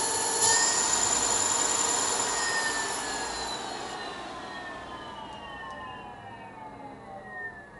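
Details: Dan H's 24FET controller driving a 4115 motor, test run after repair: clean electric whine sliding steadily down in pitch as the motor coasts off, no cutting out or grinding; controller working normally.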